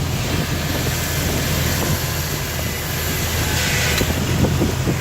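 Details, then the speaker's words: Jeep TJ after tightening the loose track bar to about 60–70 ft-lb (40 didn't work): steering turned with steady low engine rumble under wind, no more popping or clunks. "and there's no more noise but before this thing was moving so it was loose but we fixed it everything's good no more noise"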